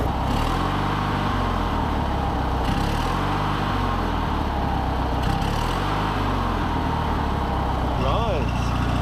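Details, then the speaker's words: 19.5 HP Oppy riding mower, single-cylinder, being revived after being thought beyond repair, first drive under its own power: steady even putter holding speed, fired up easy, no longer smoking. Normal running. "it's not even smoking anymore. Dude, she fired up easy, too. And it's running good."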